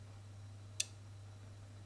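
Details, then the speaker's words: Tenda smart plug after replacing a swollen dead electrolytic capacitor: a single sharp click over a steady low hum as the relay switches on cleanly; normal relay click, repair successful. "click it's on click it's off you can hear the relay and you can see the light yeah on so it's fixed which is very good"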